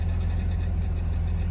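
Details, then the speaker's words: 2004 BMW 330Ci E46 convertible just after fuel pump assembly replacement, started with a jump on a flat battery: smooth, even low rumble with no misses or knocks; normal idle. "Oh, she's fired, running away. Battery was flat, so I needed to give it a jump."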